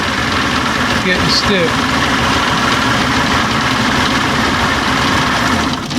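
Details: Old outboard with a stalling and bogging problem, just after a quick ignition timing adjustment of about a quarter turn. A steady, even two-stroke burble at idle with no stumbling or hunting; the outboard is idling smoothly.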